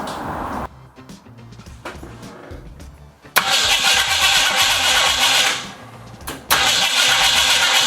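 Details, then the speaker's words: 1968 Ford Mustang coupe with ignition problems, cranked after fitting new terminals: starter churns about three turns a second in bursts but engine never catches; crank, no start, cause unknown, spark not verified. "be it appears that I am overlooking something completely but it's just not fire enough"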